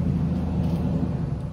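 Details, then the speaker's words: Four-cylinder engine in a newly acquired project car: rough, lumpy idle with uneven rumble, hunting high and low; timing seems to jump around and it spark-knocks on the highway, cause unconfirmed. "it's got this high idle low idle high idle it's searching all the time the timing seems to jump all over the place"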